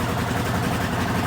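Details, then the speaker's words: Rebuilt 1979 Honda CX500 twin just after cold start on choke, after months standing outside: uneven, lumpy idle with irregular stumbles; misfire, owner suspects rotten fuel, won't rev fully yet. "Yeah, you see that? Oh, bit of a misfire."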